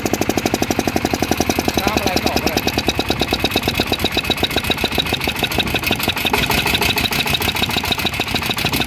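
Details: Yanmar 160 single-cylinder diesel idling after rebuild with new bearings: it starts easily and gives a crisp, regular thump, tight and even with no rattle or bearing knock. Bearings quiet; healthy.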